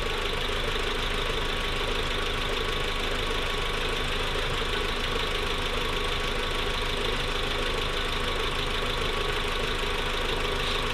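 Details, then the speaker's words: Newly built engine in a Mk4 at first startup, steady idle with a soft, even, quick tick coming from the injectors; normal injector tick, not the loud noise of lifter or valve tick. "it's a different kind of tick um if i brought you closer you would you would understand you hear it it's not lift or tick what's up lifter tick is really loud um this is nice and subtle and that's for the injectors"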